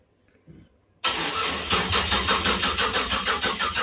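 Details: Budget project car on temporary wiring with the MAP sensor unplugged and PCV valve not yet fitted. The starter cranks evenly at about three beats a second but the engine never fires, with no fuel delivery. Coolant sensor reads 64 degrees, no DTCs, apparently no crank RPM signal.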